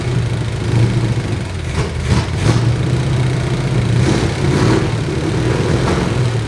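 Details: Low, lumpy V8 idle with an uneven beat and no clean settle on an abandoned C20 truck; distributor loosened and timing being set by ear, so rough running likely from ignition timing not yet set.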